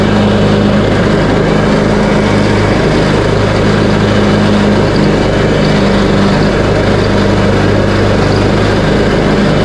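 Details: Craftsman T130 riding mower after fuse and ignition switch panel repairs, mowing end-of-season grass with deck set high: steady, even engine drone with blades spinning under load, no misses, surges or knocks.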